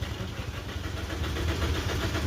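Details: Maruti Suzuki Ertiga petrol engine, towed in with pickup loss, engine noise and stalling off the accelerator: uneven low chugging that sputters but never catches without throttle; engine timing problem.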